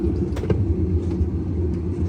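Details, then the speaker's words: GE GTW460 top-load washer with dual agitator, drum spun: steady low roar with a rough rumbling edge from worn gearcase bearings; fix was replacing gearcase WH03X33729, lid lock and belt. "It's got a good roar to it."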